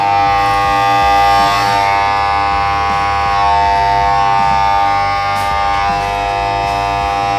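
A loud, steady buzzing wail with several stacked pitches holds without a break: the control panel alarm siren is going off.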